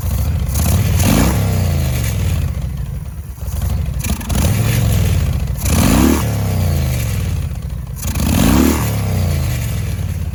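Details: 2005 Yamaha Road Star 1700 V-twin, sat for years, new battery, seized enrichment cable, just started: throttle blips stumble before revs climb, with sharp pops and crackles; hesitation and backfire, starter also seems not fully engaging, cause unconfirmed.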